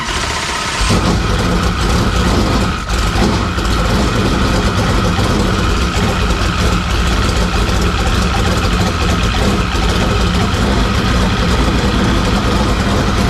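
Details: Carbureted V8 race car after radiator cleaning, carburetor cleaning and new spark plugs, primed with fuel in the bowl; brief crank, catches, settles into steady even lumpy idle with no knocks or misses; healthy.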